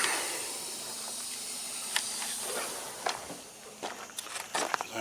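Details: Volvo truck during service and inspection: loud steady air hiss fading over the first seconds, then clicks and rustling from handling parts; suspected leak at an air fitting that needs a 3/8 90-degree fitting, not yet repaired.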